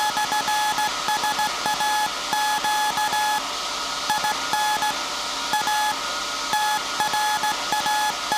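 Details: SAQ Grimeton 1924 Alexanderson alternator, 17.2 kHz VLF CW centennial transmission, punched-tape transmitter soon handing over to manual telegrapher keying; clean steady tone around 850 Hz in short and long Morse bursts over hiss; normal CW transmission.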